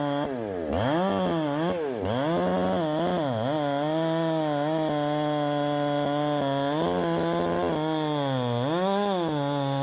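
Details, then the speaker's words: Chinese 372XP clone chainsaw, timing advanced about half a flywheel key: hard screaming high revs, about 12,200 rpm in the cut, pitch dips and recovers, slight halfway four-stroking burble on top end; ignition timing slightly over-advanced, still to set. "now the next thing is to actually get the timing set with the key and get it to where it's not doing that um that crazy sort of halfway four stroking on the top end like that"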